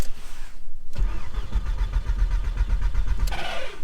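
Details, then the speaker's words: Stolen-recovered Audi A3 built as an S3 replica: about two seconds of steady starter churning at roughly four to five pulses a second, then it stops without firing; crank no start. "okay clearly the car is not starting now i shouldn't really be starting the car"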